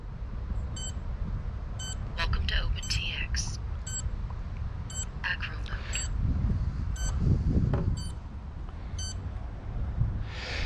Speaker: you can hopefully hear that the quadcopter is beeping that's its field safe okay so there's no transmitter on at all right now